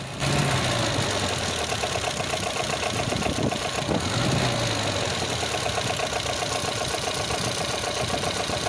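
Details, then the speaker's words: Volvo B20/B18 engine with worn fiber timing gear: busy, uneven idle with a fast irregular diesel-like clatter, timing bouncing; worn timing gears getting noisy, replacement with OEM gears needed before failure. "usually they get noisy and only fails many hundreds if not thousands of miles late yes cars sound like a serious diesel land rover"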